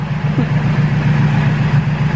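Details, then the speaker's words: Turbo K24 Integra idling after exhaust leak repair, heard under the car near manifold and band clamps: even low drone, steady hum, no ticking or puffing; no leaks, throwout bearing audible; normal idle. "so band clamps are not leaking at all and uh manifold is not leaking at all"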